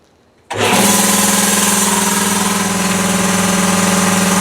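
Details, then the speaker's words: 80-gallon Cobalt air compressor in an enclosure with one insulation layer on the doors and side, none in the roof, and vents installed. It kicks in abruptly, then settles into a loud, even pumping drone. Runs normally; insulation made little noise difference. "so maybe not much difference about the same distance away as before about the same so is it worth it i don't know i mean it's going to be loud regardless"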